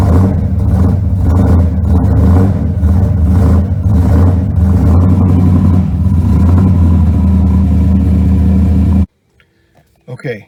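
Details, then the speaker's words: Car left overnight with a dead battery because the alternator stopped charging: labored, dragging crank at about three beats a second for nine seconds that never catches; slow cranking from an undercharged battery before alternator replacement. "the point is I wanted you to hear how that battery was lagging because I've started the core I've started the car like four times now"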